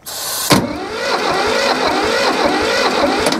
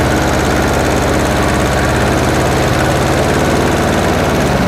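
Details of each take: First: Hinomoto E230 diesel tractor, parked for years, on jump box with some throttle: starter whirs steadily for a few seconds without catching; slow cranking from a loose battery terminal, likely the ground. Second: Hinomoto E230 diesel tractor, revived after sitting for years, after bleeding air from the fuel: steady, even diesel clatter at a settled idle with no stumble or hunting; running cleanly.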